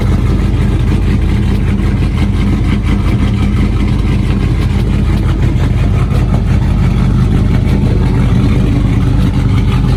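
A V8 truck engine runs with a steady, deep rumble, holding an even note with no stumbles.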